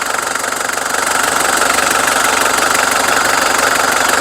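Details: Mitsubishi Strada 2.5 diesel pickup, registered 1997 with a 2005 front conversion. The idle clatter is even, about four beats per second, with no misses or knocking. There is no white smoke, it drives long distances normally, and the seller guarantees the coolant won't push out.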